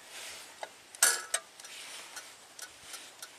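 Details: 2002 Buick LeSabre 3800 V6, 210,000 miles, after cleaning the A/C clutch connector, tightening pins and applying DeoxIT: one sharp metallic clack as test-light power hits the clutch, then faint light ticks; compressor clutch pulls in as it should.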